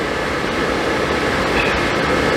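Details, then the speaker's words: Suburban RV furnace after replacing the faulty gas valve that passed no gas: steady rushing airflow with even hum, no rattles or surging; blower running and burner lit normally. "Yeah, it lit. Smells good, sounds good."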